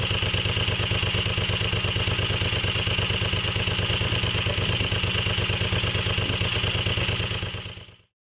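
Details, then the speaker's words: Moto Guzzi Le Mans 3 twin, first start after restoration, cheap pod filters: even beat at slightly raised idle, no misses, then switched off; throttle held slightly open until carb throttle cables tensioned; runs healthy. "Although it's firing on both cylinders, I am having to hold the throttle slightly open to keep it from stalling, until I manage to add some tension to the throttle cables on the top of each carb."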